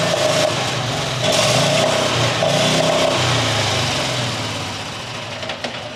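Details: New John Deere XUV side-by-side engine, started on choke with brake on; fires, runs ragged, then sags and fades out instead of holding idle; clogged carburetor low-speed jet.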